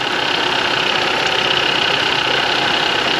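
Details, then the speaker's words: Ford Escape 2.5 L four-cylinder idling with AC on, AC previously blowing warm: rapid uneven metallic clankety clatter from below; possibly the AC compressor. "So I'm hearing some clankety clanks down here."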